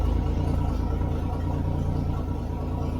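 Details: Toyota FJ40 Land Cruiser revived, oil pressure confirmed, coil fault found: deep steady low rumble with even beat, no knocks or misses; engine idling normally.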